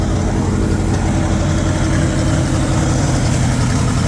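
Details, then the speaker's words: 1960 Pontiac 389 V8 back running after sitting about 10 years: rough lumpy low rumble, uneven beat at idle, dead cylinders on one side, a little blowby; misfire on dead cylinders. "The dead cylinders on that side. We're trying to come back around. Little bit of blowby. Not terrible."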